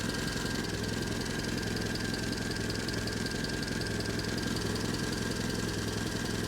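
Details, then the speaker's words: Engine installed in a Unimog after a successful bench test, with a new radiator, now warmed up (temperature just lifted): steady, even small four-cylinder idle with a smooth firing rhythm, no misses, knocks or rattles; runs well. Battery warning light still on. "Yeah, temperature's just lifted now. Which is great, so no rattles rattles and bangs. The motor sounds pretty really good now. Which is a surprise."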